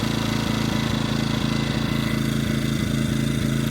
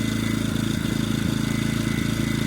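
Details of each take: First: EcoFlow dual-fuel generator running on propane with its steady drone broken by regular stumbles, because the propane regulator is adjusted too far out (too lean); it smooths out when turned back in. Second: EcoFlow dual-fuel generator running on propane at maximum load of about 1700 W, steadily with an even, regular exhaust beat and a faint whine, after the propane regulator was tuned.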